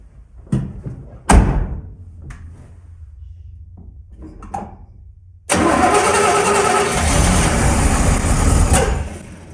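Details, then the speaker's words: 1981 Chevy C1500 squarebody, freshly refreshed and cammed carbureted 350 small block, first start: short cranking bursts with weak coughs, then it catches and runs roughly; flooded, with a wet spark plug, as the choke had no ground. "So, I went ahead and pulled the spark plug out of this thing and this thing is extremely wet and reeks of gas. So, definitely flooded it."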